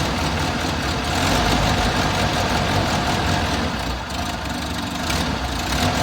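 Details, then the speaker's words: Six-wheeled Toyota truck, odd idle after fuel tank replacement, ran fine a day then idles, dies and kicks up; owner guesses fuel problem. Heard after new spark plugs: uneven lumpy idle with mid sag; cause not found. "but now it's got an odd idle. It idles and dies and kicks up and dies. I'm guessing it's a fuel problem."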